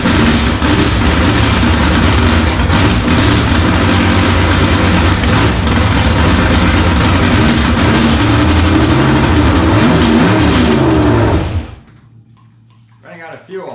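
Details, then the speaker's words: 327 V8 on an engine stand for a 1954 Henry J gasser, timing uncertain: runs with an even lumpy chug for about eleven seconds, then cuts out abruptly and dies, not picking up fuel; owner suspects a bad fuel pump. "I'm not picking up fuel thank you not picking up fuel she's not picking up fuel oh my God [Music] for whatever reason we're not picking up fuel I'm thinking maybe my fuel pump might not be any good"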